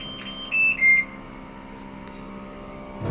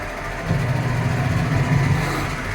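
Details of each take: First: American Home automatic washing machine, rusted frame from rain exposure, after drain motor repair: a few beeps, then a heavy churning thump surging about once a second with each agitator stroke during wash; noisy wash agitation, cause unclear. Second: American Home automatic washing machine, repaired for not draining, on spin-dry test: drain motor now pulls and the tub spins together with the pulsator, steady low motor hum with no grinding or knocking; spin engages properly, though wash remains noisy.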